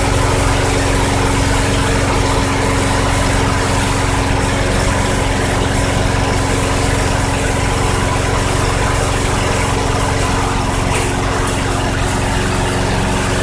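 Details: 2006 Craftsman 917.376160 push mower, tank nearly bone dry, running after carb cleaner was sprayed in: a steady, even single-cylinder buzz with no misses, surges or knocks, so it runs healthy.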